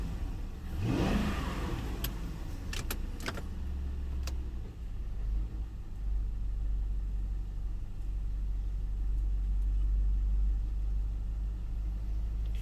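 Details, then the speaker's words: Ford Town Car V8 daily work car after replacing the coil pack on cylinder 8, which had misfired (third new coil pack): starts, revs and settles into a smooth, steady low rumble with no misses; normal running. "yep well we're good again so i'm up to what three three new coal packs so we'll see see how the other ones last"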